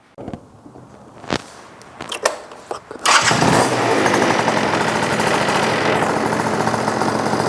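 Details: Yamaha BWS 100 with Malossi 125cc kit after carb jetting change fixing rich running, airbox off: fires after a few clicks, then holds a crisp, steady high rev without gurgling or stumbling; revving cleanly.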